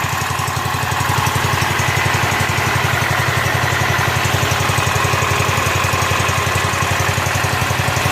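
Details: Rebuilt Kohler K241 10 hp single-cylinder from a John Deere 210 garden tractor, muffler hung on with wire, fed by tube in gas can: quick, even exhaust thumps at steady idle, no misses, knocks or surging; normal idle before idle mixture screw adjustment.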